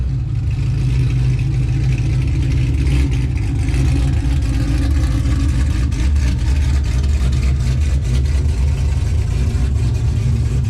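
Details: 2005 Pontiac GTO V8 at idle: smooth, steady rumble with no ticks or knocks, so the engine is healthy. It slips and revs out above 4–5 mph, so the fault is in the rear differential.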